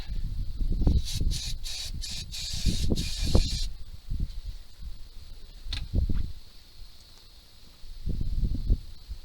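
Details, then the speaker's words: 1978 Dodge D200 crew cab 318 V8, abandoned 17 years, first start on gas and ether. Irregular sharp pops and thumps through a stumbling engine; backfiring, with the owner unsure whether the timing is off or the carb needs work. "Well, she's gonna run, but she's backfiring like crazy, so I don't know if the timing's off or we just need a bit of carb work."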